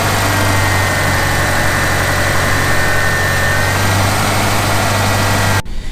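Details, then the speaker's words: Subaru at idle in park after new spark plugs, checking the throttle body idle sensor and cleaning the MAP sensor: steady idle with faint uneven shake, no knocks; much improved but still slightly rough, owner expects the sensor may need replacing. "So based off what I've observed just by moving the shifter, so right now we're in park, it doesn't feel too, the idle isn't too bad. It's still shaking a little bit."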